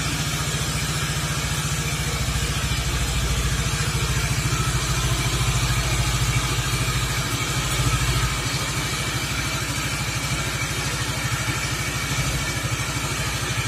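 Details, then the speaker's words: Suzuki Nex FI scooter after CVT/gearbox service (roller housing replaced): steady, even idle with a low pulsing beat; the loud CVT and gearbox noise from before is gone, though some noise remains near the engine centre; normal idle. "untuk yang suara ribut seperti di awal video Alhamdulillah sudah hilang ya sudah hilang suara yang ribut banget di CVT dan di gearboxnya"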